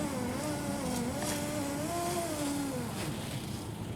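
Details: 2005 Jeep Liberty rear driver-side window, new aftermarket regulator installed: thin motor whine wavers and sags in pitch as glass climbs, down is fine; slow, labored power window going up.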